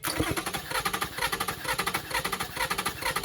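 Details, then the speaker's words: 2007 Toyota Sienna van with recurring misfire codes: idle stumbles with a lumpy exhaust pulse, one beat regularly dropping out; dead cylinder traced to a failed year-old iridium spark plug after coils, injectors and wiring tested good. "Okay, so after all that, turns out to be a bad spark plug. I just put these spark plugs in here like maybe a year ago or something, I think, high dollar iridiums, and it just died."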